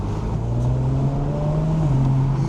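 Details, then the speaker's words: 2017 Audi S4 Japan import, road test after a total boost loss: engine note climbs smoothly and strongly under load with no flutter or hesitation; full boost restored. "Yes, for sure. Oh, I'm getting full boost now."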